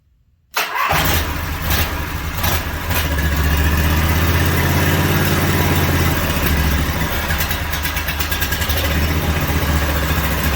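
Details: Briggs & Stratton 18.5 hp V-twin, sat outside for 20 years, first fire on an engine stand with oil deliberately left low: catches after a brief crank into a loud, fairly even fast chug with steady low rumble; runs after sitting.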